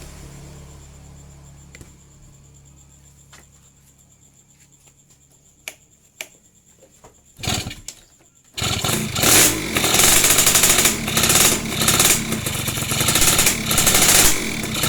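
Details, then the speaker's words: Yamaha FIZ R / old Vega R motorcycle after rewiring its ignition from AC to DC using a Mio/Jupiter Z/Vega ZR CDI; quiet, then the engine catches and runs on with a steady, busy exhaust note, starting and running normally. "Đây là chiếc xe máy này, Alhamdulillah nó có thể sống và bây giờ tôi sẽ chứng minh điều đó một chút cho đường dây liên lạc"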